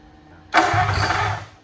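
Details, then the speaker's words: 1927 Roadster with Flathead V8 at first start: a sharp pop, then a second or so of ragged firing that dies during cranking. Ignition feed drops out, so it pops but won't start; plan is to jumper ignition to battery. "So this is what it's doing. It's popping like that."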